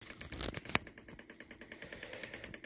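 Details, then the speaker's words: 3D-printed pulse motor with new rotor: sharp, even light ticks about eight a second over a quiet hum; the spinning rotor is slightly tapping the housing wall, to be fixed. "I also got to fix the inside cuz it's tapping the wall just ever so slightly works good"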